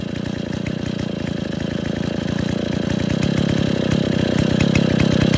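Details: Freshly rebuilt Stihl 070 chainsaw (new seal, axial play corrected; choke and clutch still to fix, no cover or bar) shows rapid two-stroke popping that settles into a steady idle and firms up slightly: normal idle.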